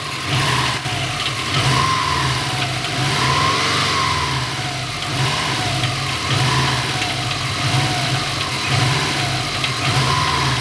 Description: Bei fallender Drehzahl hört man aus dem bereich des Turbos ein Metallisches klappern